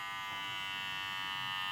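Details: Wahl Senior cordless clipper after replacing the worn cam follower (wear made it loud) and realigning the blade: steady, even high buzz with clean hum and no rattle or clatter; quieter, motor and blade running smoothly.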